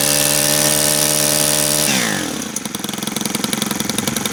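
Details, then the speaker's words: Brand new Stihl FS91R two-stroke string trimmer, primed; high buzzing idle drops sharply into slow, uneven sputter and fades, idle set too low so it won't keep running. "Idle's a little low, but all right, that's just not going to sit there."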